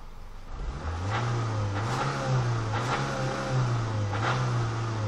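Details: Renault Megane 2 engine: uneven idle hum wavers while sharp deep knocks break through about every second; internal knock, owner unsure whether wrist pins, main/rod bearings or camshafts.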